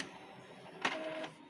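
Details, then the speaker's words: Epson L3110 printer printing a test page: sharp clack and brief whirring whine as paper is pulled in; noisy paper pickup. "ทำการเทสสั่งปริ้นเลยนะครับอ๋อนี่ครับเวลาดึงกระดาษนะครับมีเสียงนะ"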